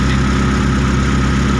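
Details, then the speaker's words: T120SS injection with high fuel use: even idle stuck above 1000 rpm at 0% throttle, engine stays cold even after long running; thermostat suspected broken or removed. "kami curiga ke bagian termostat untuk bagian termostatnya itu bisa saja sudah jebol ya atau tidak menutup kemungkinan untuk termostat di mobil ini sudah dilepas makanya untuk suhunya itu tidak cepat naik"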